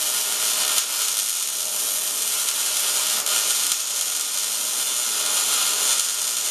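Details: MIG welding at 200 inches per minute wire speed and 16.5 volts, drag technique close in, with big nozzle: steady, crisp frying-bacon sizzle, no loud pops or sputtering; welder correctly set.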